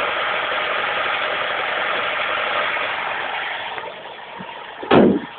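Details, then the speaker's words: 1991 Vauxhall Astra Mk2 1.4L petrol on the choke, fresh oil, filter and spark plugs, exhaust new from manifold back: steady, even idle, starts first time, no knocks or rattles; healthy engine. "There's the engine. Absolutely perfect engine. You know, starts first time, no knocks, no rattles."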